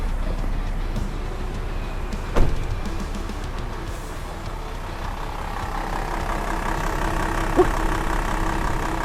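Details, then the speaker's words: Toyota Land Cruiser VX80 original, unrestored first-owner engine, about 106,000 km, clutch booster added, just started: low, steady, even idle hum with faint rumble, no knocks or ticks; runs quietly and smoothly. "Nah, kita nyalain nih. Wih. Ya, ini udah nyala."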